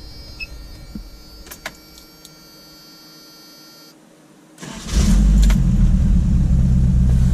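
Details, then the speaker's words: Turbocharged Toyota pickup with new warranty-replacement Turbonetics turbo, intercooler leak fixed, oil slightly high; a few faint clicks, then catches at once and settles into a strong steady run; healthy start, turbo audible. "right up that's one good thing i hear the turbo that's one good thing"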